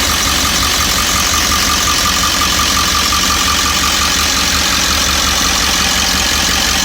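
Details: 1998.5 Ford E350 7.3 diesel, warm idle after warming up: fast uneven rattling knock about three per second; owner wonders injector, cackle or worse; fuel tank recently dropped for low fuel pressure and delaminating.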